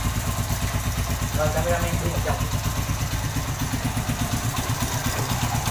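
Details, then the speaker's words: Honda Win Detech 110 after one year, about 3,900 km: even idle beat with a light, busy cam chain clatter that appears after long running; owner plans to replace the cam chain. "Máy đang nổ galanti nè nhưng mà bạn nghe là nó có cái tiếng là nó kêu sên cam đó thì chạy lâu là là nó kêu thôi các bạn"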